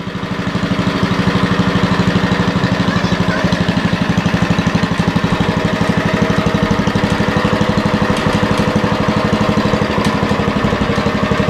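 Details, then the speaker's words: 40-year-old Lincoln Weldanpower 150 genset welder, welding at 150: strong, steady pulsing beat with no misfires, surging or knocking. Healthy under load. "Not the prettiest, but I mean, she'll weld at 150. Oh, so she runs good."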